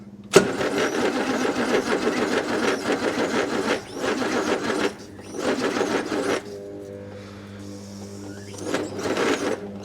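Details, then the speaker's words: 1962 Rover P4 cranking after a connection was bolted directly to the terminal; starter motor suspected worn: long bursts of steady starter churning with pauses, never catching; crank no start. "Come on, fire up it. Just I want start motor's probably on its last legs as well."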